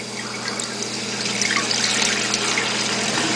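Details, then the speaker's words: Toilet after installing a new Fluidmaster fill valve, water turned on, no leaks: steady hiss and rush of water filling the tank, no sputter, hammering or squeal; fill valve working properly. "So when the float goes up, the water shuts off. If the float goes down, it fills with water."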